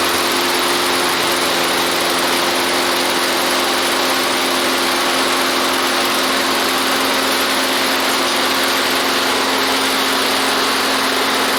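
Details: Toro lawnmower after decarbonizing the cylinder head and fitting a new head gasket: steady, even high-pitched drone with no surging or stumbling; runs clean and healthy after repair.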